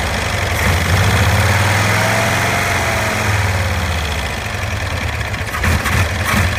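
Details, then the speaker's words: 1965 Cushman Truckster two-cylinder after sitting over a year: uneven, lumpy low idle with loping beat and no clean pickup, chokes out on acceleration; owner attributes it to a stuck choke valve. "it's just I'm trying to get that choke to let off that's the problem it's got like it's got a stuck choke valve"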